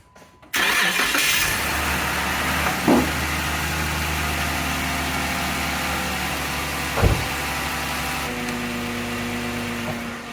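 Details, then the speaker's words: Jeep after an exhaust leak, which appeared after getting stuck in mud, was repaired by reseating and evenly tightening the exhaust joint: the engine cranks and catches quickly, then settles into a steady, even idle with no ticking or puffing. "But as you can hear, it doesn't sound nearly as bad, and I think that's gonna be it for this video."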